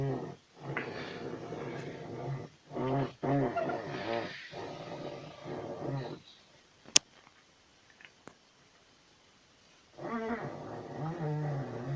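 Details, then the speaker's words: Maruti 800 steering: light groaning, wavering squeak in bursts when turning the wheel, from a dry, unlubricated steering column; noise fully gone after the fix. "तो आज मैं लौट रहा था तो अचानक मुझे एक चीज़ समझ में आई कि आप ध्यान दीजिएगा कि जब हम स्टेयरिंग को काटते हैं तो इसमें एक हल्की सी आवाज़ आ रही है।"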